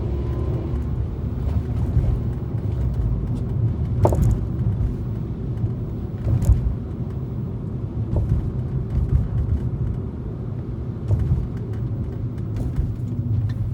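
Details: 2013 Fiat 500 driven over bumps and potholes: sharp clicks from underneath the car land on each bump over steady road rumble; suspension clicking whose source is not yet identified.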